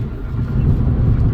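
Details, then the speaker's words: 2014 Ford Focus Titanium 2.0 after an engine swap and crank sensor relearn, on the freeway at about 80 under load: steady, even low drone with no stumbles; earlier misfire fixed. "and now i'm driving on the freeway with you know going about 80 with load and no issues at all"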